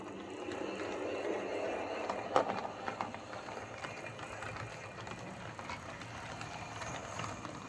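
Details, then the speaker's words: Hornby 08 shunter running on the layout after repair: coupling rods bent to clear the brakes they had been catching. Faint, even motor hum and steady wheel rumble with no rod clicking; running normally. "so there we go that's as we class await shunter running fine now"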